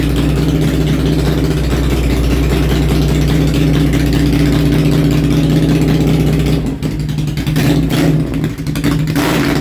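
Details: Honda Shadow V-twin after a homemade single-carburetor intake manifold conversion, started on choke: it settles into a steady, even, lumpy idle with a couple of brief throttle blips. Normal start and idle.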